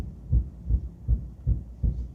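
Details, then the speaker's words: 1961 Buick LeSabre convertible with Nailhead engine, driving slowly after the tires were reinflated: deep, heavy booming thumps about every third of a second from a worn driveshaft center support bearing. The driveshaft is to be pulled. "Oh, I can hear the thump. I don't know if you guys can hear the thump, but I can hear the thump of the uh center support bearing."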